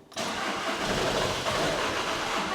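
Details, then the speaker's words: VW Caddy TDI diesel, 490,000 miles, unused for months, on charging station with engine, glow plug and DPF lights on: starter spins it evenly for over two seconds but it never fires. Crank no start. "so I'm a bit baffling because it's so clean but unfortunately it doesn't quite run it just cranks over"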